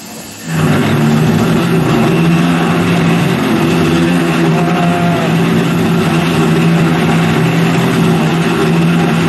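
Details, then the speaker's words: Carvera Air benchtop CNC mill, end mill spiral-ramping into stock at conservative feed rates: loud droning hum with a harsh rough edge, heard as chatter. Operator paused the cut and suspects the spindle speed is too low. "I don't like the sound of that. I've paused that. And I've done Hmm. Well, that didn't go well. I think the spindle speed is not high enough."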